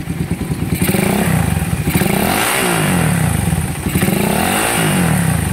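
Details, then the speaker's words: Motorcycle engine idling cold with a rough metallic clatter that rises and falls with each rev; the clatter is felt even when cold and gets louder once warm; cause not yet found. "Pagka ganito, pag mainit boss, maingay na. Mas lalo. Itong kay sir malamig, hindi masyadong maingay, pero dito ramdam na mga boss"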